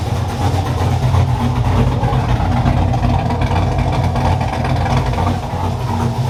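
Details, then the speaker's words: Car after TSP Torquer V2 cam (113 LSA), valve springs, pushrods, 36lb injectors install, untuned, coolant bled, temp holding 209°F: loud, deep, choppy big-cam lope, steady without knocks or ticks; normal cammed idle. "But man, it sounds good. Needs a tune though."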